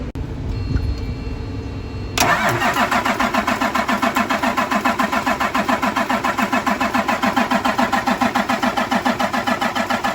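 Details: Cummins M11 diesel semi truck after fuel filter change and new fuel lines, during priming: steady starter cranking about three and a half beats a second, never fires; air still in the fuel system.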